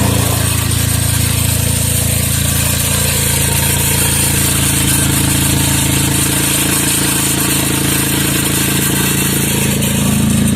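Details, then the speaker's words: Chevy Traverse on remote start, idling: loud raspy steady roar, much harsher than normal, from an exhaust leak where the exhaust bracket broke at its weld, leaving a big hole; owner plans to weld it. "The bracket that is holding the exhaust has come out, has broken, where they welded it has broken. This bracket has broken, and therefore it's making all that noise."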